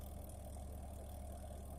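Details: Twin-tub washing machine on the wash cycle, timer set to 5. The wash motor gives a steady low electrical hum but does not turn, while the spin-dryer motor works. The start capacitor is suspected. Motor hums but does not turn.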